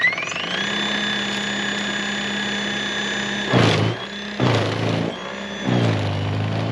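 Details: Greenworks 80V 20" brushless cordless snow blower running non-stop in deep powder, stretch cleared to dirt in 6.5 minutes; steady motor whine dipping into heavier churning bursts as it bites snow, then recovering: normal running under load.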